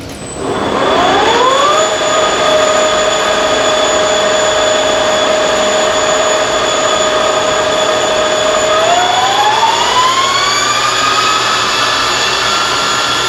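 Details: Monarch Merit lathe after converting its non-working DC drive to an AC drive; power feeds engaged, cross slide and longitudinal feeds both working. Smooth steady gear whine stepping up in pitch twice as speed changes, even and free of knocks; feeds running normally.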